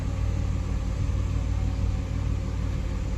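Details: 2003 Ford Explorer 4.0 V6 after timing chain repair, idling after mass airflow sensor cleaning: low, steady rumble with no knocks or stumbles; idle stabilized but still reading a little high, owner dislikes fuel trim and suspects injector issues.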